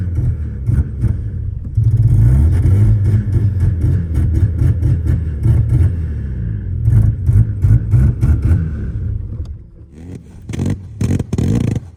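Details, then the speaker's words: 1985 Mazda RX7 rotary: idle surges and dips, revs rise sluggishly when blipped and then fade; owner suspects too much premix oil making it too rich, plus leftover bad fuel. "but we think it's so rich that it's not able to Fire and keep a steady idle it's pretty much having a really rough idle and when you hit the gas it's a really late response"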